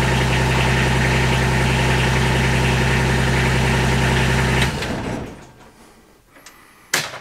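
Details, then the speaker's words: Kubota RTV 1140CPX diesel after fuel system upgrade (new filter/separator, pump, lines), unrun since previous day, brief glow plugs: cranks and starts immediately, then steady even clatter with regular firing and no misses until shut off; normal healthy idle, previously hard-starting and rough. "so i'm not sure if you could tell where that is that is amazingly fast it it turns over and starts immediately it has never done that"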